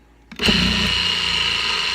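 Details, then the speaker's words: Wheeler Rex pump tested after replacing the drive bearing; before the repair it laboured, then stopped pumping. It spins up quickly into a steady, even high whine with no bogging or labouring. Normal running. "nothing. You know, you could hear that it wasn't laboring at all."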